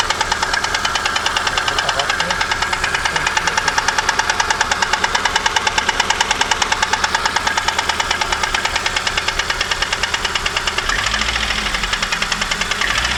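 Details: VAZ 2115 Samara 1.5 8-valve, sudden since morning: loud sharp ringing knock about three times a second over the running engine; owner suspects piston 4, valves adjusted, camshaft seems fine; unconfirmed.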